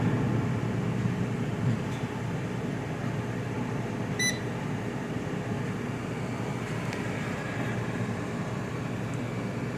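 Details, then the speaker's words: GE air fryer with temperature set all the way down: even, steady low whoosh of the fan with no rattle or wobble and one short beep; fan running normally. "so now it's just a fan going because the um the uh i set the temp all the way down"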